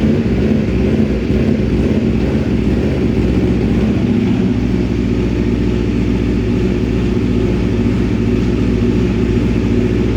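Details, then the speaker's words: 2026 Aprilia RSV4 with the short SC Project muffler swapped onto the Akrapovic system: loud lumpy idle that keeps surging and sagging without stalling. The too-open short muffler is causing the idle hunting; the Akrapovic muffler does not do this. "can definitely hear there's a lot of hunting going on with the SE project. It doesn't stall, but there's a lot of hunting."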